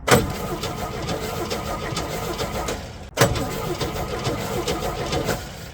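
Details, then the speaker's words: 1964 Chevy C10 with original old six, first start in 30 years on a very cold day, bottle-fed fuel: catches and stumbles unevenly, weak and lumpy with hesitant firing, then cuts out; runs but weak. "bottle feeding it that ran really good actually I'm so happy right now sounds like it is weak as hell"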